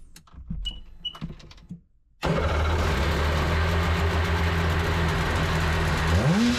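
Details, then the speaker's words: 2003 Sea-Doo GTI RFI running in the shop after injector testing and RAVE valve adjustment: a few clicks, then a steady, even run rising cleanly with throttle; takes throttle harder and revs quicker, sounds healthy. "Now I'm already hearing a difference in the way this engine runs. She's taking the gas a lot harder. She's revving up quicker. She sounds good."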